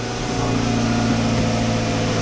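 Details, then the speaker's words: Rallycross car right after a clutch job: engine runs normally, but letting the clutch out gives no drive, only a thin continuous squeal heard from the front over a steady drone; cause unknown, transmission to be pulled. "the clutch out I don't go anywhere I just get a whole lot of squeaking which you can hear from up front right now so I don't know why that is"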